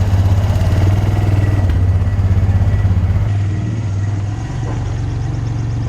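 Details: Abandoned Honda Recon ATV, recently revived, running before front master cylinder replacement: single cylinder thumps at an even beat with steady low exhaust note, settling smoothly as revs ease off; running pretty good, healthy.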